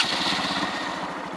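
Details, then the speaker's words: 2020 Honda Monkey 125 single (ABS) started: a steady, quick, even thumping idle. The engine sounds healthy. "There's a rattle there. It's a number plate. But it sounds awesome, doesn't it?"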